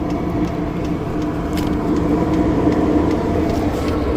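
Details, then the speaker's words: Newly installed Chinese diesel air heater in a van, heard outside near the muffler: steady running hum with light, regular ticks about three or four a second from the fuel pump, hung on zip ties to isolate it; normal metering. "That's the fuel pump making that ticking noise. But I have it hanging by 3 zip ties, so we won't hear it, we won't feel it in the van at all."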